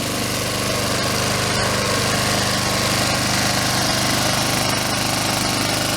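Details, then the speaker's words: Honda Harmony II HRT216 mower first start after carburetor and fuel system cleaning with fresh gas: steady, busy, even putter at rest; idle seems set high, self-propel not working. "Well, I'll look at that a little more, but the Honda is back alive. Sounds pretty good. Idle might have high, but until I figure out the self-propelled."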